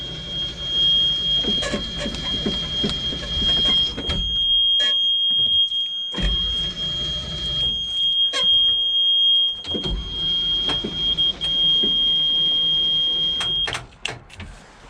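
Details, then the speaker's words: 1988 school bus left sitting for years, cranking with starter fluid: long starter bursts turning without firing; suspected carburetor and/or old-gas issues, spark being checked. "I'm not getting it started I'm not even getting into fire up it could be carburation issues could be old gas issues could be both hold gas and the carburation"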